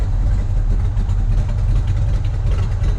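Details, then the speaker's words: 1965 Pontiac GTO convertible, 389 V8 Tri-Power, heard at the exhaust during warm-up idle: deep, even burble with a steady beat, no misses or ticks. The exhaust sounds great and the idle is healthy. "Exhaust sounds great."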